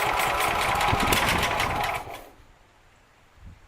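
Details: Sears Suburban SS12 garden tractor, believed 1970, after new carburetor float, with gas and spark: rapid even chugging for two seconds then stops; cranks but doesn't catch yet.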